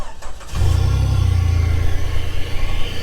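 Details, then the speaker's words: Jeep TJ buggy on 42-inch tires and one-ton axles, newly acquired: short crank, catches at once into a steady deep even idle; starts right up, sounds good, though wiring needs redoing. "Starts right up. Sounds good."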